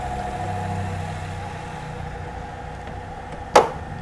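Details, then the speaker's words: 2003 Mercedes-Benz V6 2500 cc after a full tune-up and engine calibration, with the AC on: a quiet, even idle hum with one sharp slam near the end. RPM rises briefly at start, then settles. Very smooth, normal idle. "Mesinnya halus banget. Ya, ini mesinnya hidup, AC-nya hidup, sehalus ini."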